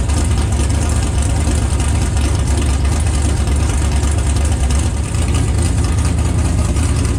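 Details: Stock 6.0L LS V8 with 243 heads, carburetor and new BTR Stage 5 drag cam, just installed: deep, heavy, loping rumble holding steady without stalling; healthy normal idle, some oil smoke off headers.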